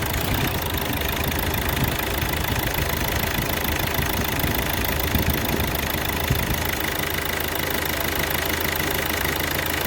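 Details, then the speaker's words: 2012 Hyundai Verna Fluidic diesel idling evenly with light clatter after ECM repair; knocking and cylinder 3 injector misfire (injector circuit open fault) now gone, engine running fine. "ਤੁਸੀਂ ਦੇਖ ਸਕਦੇ ਹੋ ਜਿਹੜੀ engine ਦੀ knocking ਆ ਬਿਲਕੁਲ ਖਤਮ ਹੋ ਗਈ ਤੇ ਗੱਡੀ ਹੋ ਗਈ ਬਿਲਕੁਲ ਓਕੇ"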